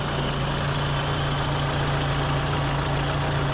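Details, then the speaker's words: Peugeot 306 Meridian 1.8 16v petrol, sat through lockdown, new battery fitted, just started: smooth, even idle with a steady low drone and no knocking or tapping; healthy engine. "and then if i just go and start it up you'll hear starts incredibly easy and has no real nasty knocking noises or anything like that"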